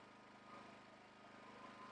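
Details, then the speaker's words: New Harbor Freight Predator 5000 dual fuel generator on propane, economy mode off, no load, mic close to the unit: very quiet, even low hum with a fine steady pulse, no knocks or surges; a healthy idle. "This is incredibly quiet. Holy cow. I mean, much quieter than a lawnmower, quieter than our air conditioning."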